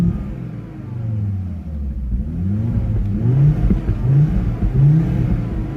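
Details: Volvo S60R running rough: revs surge and sag with frequent irregular pops after it had just stalled. The owner suspects a bad mass airflow sensor; the cause is unconfirmed.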